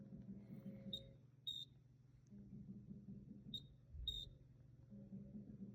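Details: Frigidaire refrigerator: short, high-pitched chirps in pairs a few seconds apart over a low hum; cause not yet found. Chirping noise.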